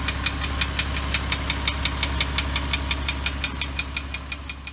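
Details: Porsche Cayman S (987), March 2006, 87,094 km, idle: sharp regular ticking about two per second over a steady idle; hydraulic lash adjuster suspected, possibly piston slap, unconfirmed.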